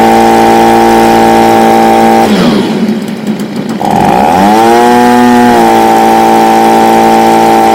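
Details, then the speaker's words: Stihl BG55 two-stroke leaf blower after a no-start fix, new C1Q-S68G carburetor fitted in place of one with a torn diaphragm: screams at high steady revs, dips briefly, then settles evenly high; running properly before final carb tuning. "all right so as you guys see it revs high and then comes back little bit down so there's no little tweaking left's are doing the carburetor to like maximize its power"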